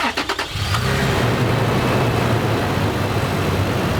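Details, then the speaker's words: Toyota 4Runner with 45,600 miles, start-up check for the diesel-like clatter some of these engines had: quick crank and catch, then a smooth, even idle. No clatter; this one has no problem. "it doesn't sound like a diesel this one didn't have a problem"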